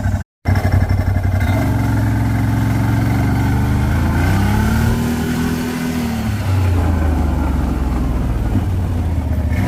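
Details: CFORCE 1000 ATV engine revs up twice and coasts down with a rough grinding edge under the falling engine note; grinding suddenly appeared during engine braking.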